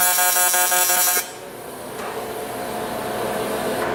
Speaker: the buzzing that you hear that's uh that's welding in pulse mode